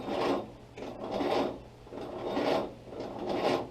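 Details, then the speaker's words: Willys Jeep L-134 Go Devil four-cylinder, sitting 35+ years, ignition on, first start attempt: slow, labored cranking with raspy surges about once a second and no firing; sluggish crank, starter fluid tried next. "pretty sluggish"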